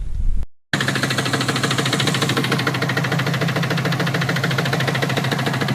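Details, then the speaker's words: 2006 Subaru WRX automatic, high mileage, idling after shaking badly with check engine light at 65-70 mph: loud fast steady knock, obviously rod knock; failing rod bearing suspected. "so yeah as you can see in that video it's done um I I don't even know what I'm going to do it's obviously it's Rod KN"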